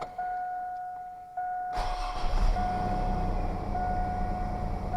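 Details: 2003 GMC Sonoma after thermostat replacement, coolant topped up, check engine light now off: a warning chime pings, then the engine catches cleanly and settles into a steady, even idle with no knocks or misses; normal start and idle.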